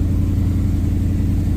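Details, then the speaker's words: SN95 Mustang GT with Gen 3 Coyote V8 swap, control pack and new harness, just started, coolant still cold: steady even low rumble, no misses or knocks, raised idle about 1200-1300 rpm; normal. "So pumps kicked on like normal, did the little 2-3 second to build up pressure, and then we can just crank it so it turns off like stock, starts no issues pretty quickly, and then it looks like we are idling at about 1200 RPM."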